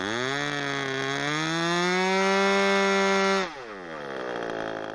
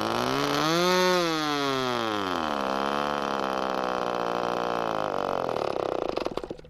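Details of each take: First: ASP/Magnum .21 model airplane engine during run-in, needles set rich after low-speed needle was three quarters of a turn rich; high steady buzz at full throttle, then clean drop to idle; normal running. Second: ASP/Magnum .21 model glow engine, first-tank run-in with rich needle about 3.5 turns out: buzzing engine climbs, then pitch wavers and sags, leaning out and sputtering to a stop as the fuel runs out after about eight minutes.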